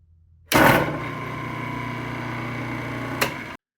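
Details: SuperMax Laguna 16x32 drum sander shaking at switch-on: sharp thump, then steady motor hum with a low uneven throb; caused by a worn spider insert in the motor coupling, fixed by replacing the insert.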